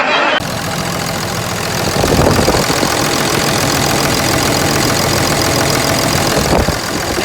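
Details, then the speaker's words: Ford F550 with swapped 5.9 Cummins common rail, after cleaning the FASS fuel pump of contaminated-fuel crud: engine settles into even diesel idle clatter, loud fast-pump buzzing gone, though pressure about 15 psi seems low: normal idle. "Well, what do you know? I don't hear the fast pump buzzing loudly anymore. So I guess that was my problem."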